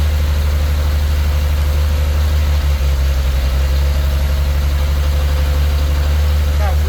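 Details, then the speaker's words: 1934 Chevy four-door sport sedan barn find, first start in 23 years: deep, steady low hum of the old six settling into an even idle with no knocks or misses; runs fantastic, normal healthy idle. "wow that thing runs fantastic I can't believe how good that thing runs listen to that thing that's unbelievable"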